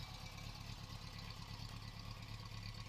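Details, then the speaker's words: 1973 Subaru GL1400 coupe with 63k original miles, flat-four idling with a soft, low, loosely regular thump about twice a second; both owners say this typical Subaru idle thump has been there for years. Idle thump. "the engine the Subaru engine often has a a light thumping noise at idle I'm not sure if you can hear it on the video but this car certainly has that it's no exception"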